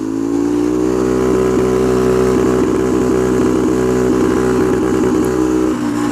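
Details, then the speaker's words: Skyteam PBR mini motorcycle with carbon exhaust and about 10,000 km, revved to 8000 rpm where it stutters and cuts out repeatedly; owner suspects a legal RPM restriction for Belgium; sounds unhealthy, cause unconfirmed. "as you can hear that doesn't sound healthy and it's it's like the RPM like restriction to make sure this doesn't go too fast"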